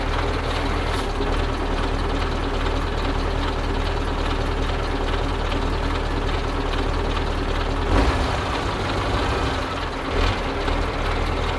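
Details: Soviet-era Kamaz diesel truck warming up at idle after first start following 6+ months of storage and field servicing, brake air building; deep steady low rumble with a couple of short air hisses; normal warm-up idle.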